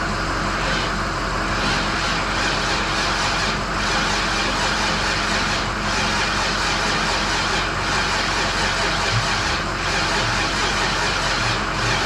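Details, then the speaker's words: 1951 Chevy pickup V8 idling after new injectors (old ones likely all stuck open, flooding fuel) and new Denso O2 sensors, plugs cleaned, fresh gas: steady even rumble, no misses, knocks or surging; running smoothly now. "so it was like a fire hose of gasoline coming out so we are running nice i'm probably yelling but i'm very excited"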